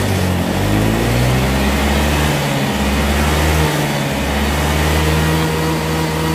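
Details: Honda Vario 125 after repair of intermittent stumbling: the fuel tank was full of water and the fuel pump was replaced; the engine now picks up cleanly and holds smooth, even revs without stumbling or hesitation.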